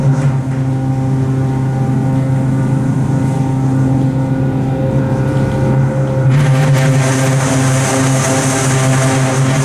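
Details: Original Montgomery hydraulic freight elevator #2, Santa Rosa Plaza, riding up: loud steady low hum with rough throbbing about 2.5 times a second, heavy vibration and strain; uploader says it is severely low on oil and struggling before reaching the top floor.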